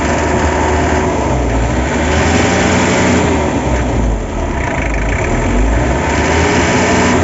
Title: Barulho no Motor ASIA TOPIC